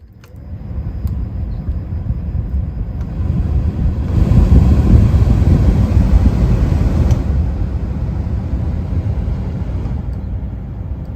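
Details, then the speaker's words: Car cabin blower fan after replacing the failed blower motor resistor (fan previously stuck on some speeds): steady airy whoosh that swells then settles, no rattle, tick or squeal. Normal blower operation after repair. "all right well works like a charm"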